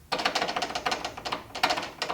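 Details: Old garage door with worn rollers, five per side, before replacement: rapid metal-on-metal clatter in bursts as the door moves. The bearings are worn loose and about to fall apart despite greasing.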